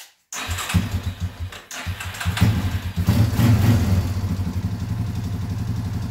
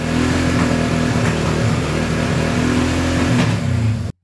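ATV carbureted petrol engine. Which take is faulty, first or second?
second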